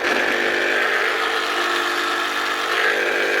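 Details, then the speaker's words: Bosch professional hammer drill switched on before armature replacement. Motor hums at a steady, strained pitch for about three seconds with little power, then cuts out; burnt armature. "It ain't doing much. You can hear her cooking. Right, we'll fix this one. All I've done was switch her on, realise it's an armature, and went and ordered one."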